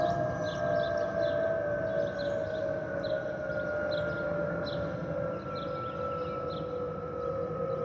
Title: Delta Airlines Airbus A319-114 N358NB DL2562 DCA-DTW (FOPP whistling sound)